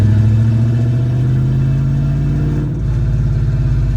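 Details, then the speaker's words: 1967 Plymouth Valiant carbureted engine after repairs, fuel pressure checked under the hood: pulls cleanly with an even strong note, no sputtering or hesitation under acceleration. "yes no sputtering baby no hesitation that's what i'm talking about man"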